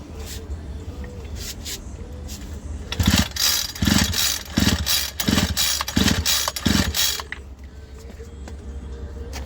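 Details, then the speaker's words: Homelite UT33650A string trimmer during rebuild, compression test: six firm, even pull-cord cranks each with a strong puff; reads just over 110, good compression. "that's pretty good compression right there that's just a little over 110 that is awesome"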